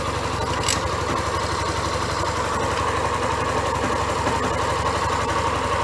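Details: Yamaha Crosser XTZ 150 single cylinder during valve seal and top-end work, checked with a wrench used as a homemade stethoscope; a steady idle with a fine fast ticking chatter and thin ringing note; internal noise, source not pinned down.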